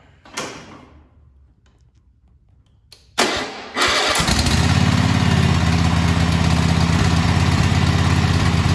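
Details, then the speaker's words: Kohler KT735 24 hp twin (7000 series) on a Cub Cadet after head gasket replacement, oil topped off: cranks a couple times, catches and settles into even idle with no whooshing or puffing; blown head gasket fixed, normal idle. "okay so as you heard there was no whooshing sound at the end of that which means that we did fix the blown head gasket"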